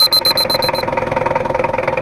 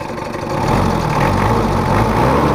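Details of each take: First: Diesel after engine overhaul, complaining of rough sound, thick smoke and high fuel use; pressure gauge fitted: a few beeps, then a harsh, fast idle clatter from incorrect injection pump setting and timing, before adjustment. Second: Mitsubishi Kuda diesel after an engine rebuild and injection pump adjustment: even, steady idle clatter with a smooth low rumble and no knocks or hunting; residual roughness traced to a missing ring in the lower injection pump, now normal.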